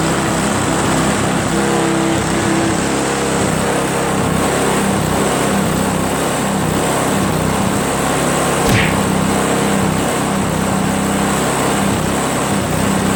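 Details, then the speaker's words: Craftsman 522 4-cycle single-stage snowblower after draining water from tank, cleaning carburetor, replacing fuel lines and primer hose, shrouds off: steady even high-pitched run with no surging or misses; running normally. "clean that carb drain the water from the tank replace the fuel lines and now it runs like a chat man works great"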